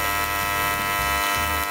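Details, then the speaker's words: Aluminium TIG weld on a YesWelder CT2050 in AC mode: an even, steady electrical buzz with a raspy edge while holding a puddle, current varied to control it; normal AC TIG arc buzz. "I hope you can hear me over the buzzing but we can hold that puddle here"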